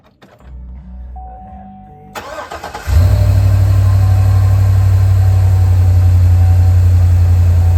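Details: 2011 Chevy Silverado 2500 on its first start after a K&N cold air intake install: it cranks, catches within a second and drops into a smooth, deep, even idle with no misfire or ticking. Normal idle.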